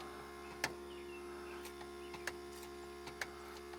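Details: 1978 Ford F-250 4x4 351M abandoned 29 years, auxiliary electric fuel pump with filter temporarily fed from a jerry can: faint steady electric hum with light clicks, pump squirting fuel; normal running.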